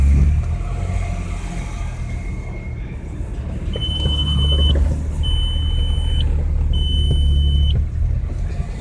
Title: 98 audi a6 quattro 2.8l rough idle, stalls out when coming top stop or at idle